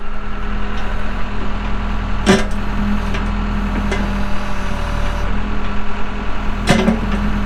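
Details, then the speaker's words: 1998 Case 580L Series II backhoe, Cummins diesel, 2,329 hours: steady, even low diesel idle with a couple of brief clanks from the machine; starts and runs good, healthy idle. "Starts up good, runs good, hydraulics are strong, pretty doggone straight."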